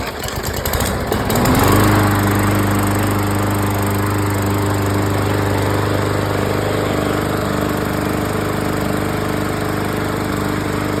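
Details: Briggs & Stratton mower engine with plastic carburetor, after carb cleaning and fuel drain: catches after brief pull and settles into steady, even single-cylinder beat; runs smoothly and healthy.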